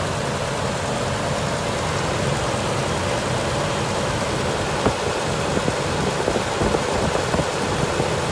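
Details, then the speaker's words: 2003 Toyota 4Runner supercharged 4.7 L V8 started after replacing broken serpentine belt and bad tensioner pulley: steady, even idle with constant low hum, no knocking or squealing. "all right well looks like we got it running so guess that's all for now"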